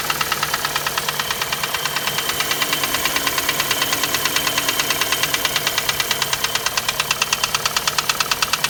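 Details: Chevrolet Cruze with 1.8 Z18 engine at steady idle: sharp, even ticking knock about three times a second from inside the engine, source not yet pinned down.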